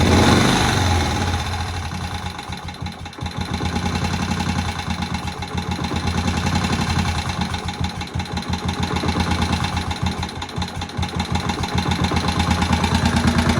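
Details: Old barn-find Moto Guzzi single first start after 40 years, head work done: slow steady firing thump with idle gently rising and falling then settling, nothing knocking, oil pumping around; ticks over fine.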